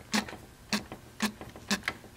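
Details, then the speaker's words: 1959 Clinton chainsaw, an antique: crisp, evenly spaced clicks about twice a second as the manual chain oiler is stroked, so the oil pump works even though its part is dry-rotted. "it's got a manual Oiler which this is all dry rotted away I'm sure you can't get that part but it does sound like it works all right"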